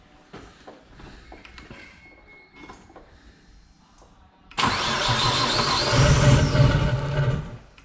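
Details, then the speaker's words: Nissan Skyline first start after its rebuilt engine was installed: cranking clicks, then it runs rough and loud with an odd, uneven low-down rumble, dies when touched, and shows low oil pressure. "That sounds odd down there."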